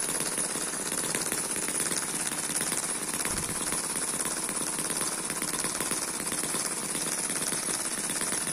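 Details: Eachine EM1 (same as M14) four-stroke opposed double-piston mini engine running at its intended low speed. It gives a fast, even, high-pitched rattle like a sewing machine and holds speed steady. Very smooth and healthy; normal running.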